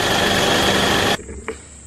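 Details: Isuzu D-Max engine being revved: a steady high-pitched whine over hard engine noise that cuts off sharply when the throttle drops. Located at the intake hose/turbo section, not lower down; the turbo now seems to be failing (suspected).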